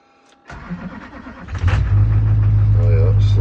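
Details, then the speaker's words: 2003 GMC Sierra Duramax diesel being rebuilt after an accident, first start: sluggish crank for about a second before it catches and settles to steady idle; slow start, owner suspects dying batteries, battery not charging because not connected. "slow start. I feel like the batteries are gonna die, so I don't want to keep it running."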